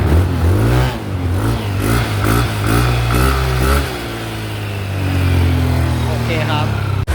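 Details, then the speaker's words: Yamaha Nmax scooter at 79,000 on the odometer after top and bottom end rebuild with 60 oversize piston: revs up and drops back cleanly, smooth even pitch, no knocks or rattles, no engine light; quiet, healthy. "ประมาณนี้เครื่องเงียบๆเร่งได้ปกติไม่มีไฟเครื่อง"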